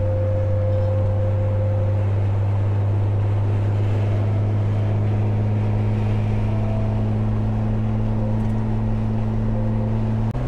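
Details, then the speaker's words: Jeep TJ driving in traffic with roof/windshield-mounted light bar: steady low hum with shifting whistle tones over road noise; wind across light bar fins. "it usually has that that really annoying like mosquito buzzing noise constantly when you're on the highway at speed"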